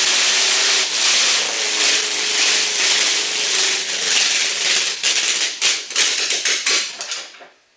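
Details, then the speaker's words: Car with a newly fitted GM distributor fires raggedly, stumbling into loose bursts before dying out. It is rough running with ignition timing not yet set; the owner plans to adjust ignition and cam timing. "I say that's running. Just needs timing now."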